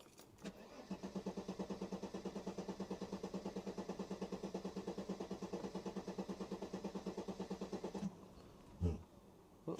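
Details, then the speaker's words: W124 Mercedes 300CE that has grown harder to start over recent days and misfires under more throttle, worse when hot. The starter grinds at about three turns a second for nearly eight seconds before it catches. Owner suspects fuel or a crank position sensor. "it's been the last sort of few days it's been more difficult to start it up but once it started it's gone absolutely fine"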